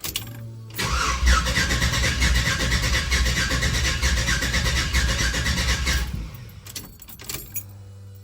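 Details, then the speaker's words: 1966 Chevy C10 after LT1-to-LS1 swap, first test crank: starter spins steadily about four beats a second for five seconds but never fires; no fuel pressure because a ball valve in the fuel line was shut. "but I don't know if it has fuel pressure yet it might just crank and do nothing"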